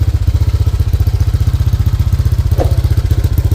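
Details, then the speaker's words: Honda Click 125 built to 160cc, 500 km on the odometer, idling after a 5-minute warm-up: steady beat of about three per second with a light metallic rattle. Owner attributes it to the cam chain tensioner and will replace it. "So yung naririnig ninyo rito, yung tensioner, magpapalit tayo ng tensioner."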